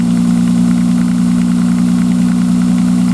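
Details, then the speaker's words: 1995 Nissan Maxima at cold start: steady idle with light, quick, evenly spaced tick about three per second, like plastic on plastic, lasting only the first few minutes until warm; owner suspects a tensioner problem, also exhaust leak. "she purrs like a kitten now except when you started up in cold weather I'll get her going here and I'll show you what I'm talking about kind of a tick tick"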